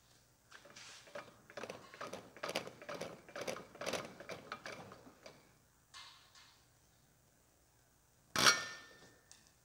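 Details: Aftermarket Bareco B16 Perkins diesel injector for a Massey Ferguson 135 6-speed, on a pop tester with pressure pumped up; crisp chirps and sharp hissy bursts; injector breaks cleanly and sprays properly with good pressure; normal injector spray chirp.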